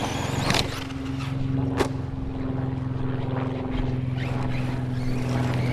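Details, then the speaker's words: Team Corally Kagama RC car driving after crash testing a 3D-printed wing mount: steady motor whir with a constant low tone over it; drivetrain noise of unclear source, owner suspects the diff cup. "Ah. I wish I knew which one it was that's making that noise, unless it's that diff cup."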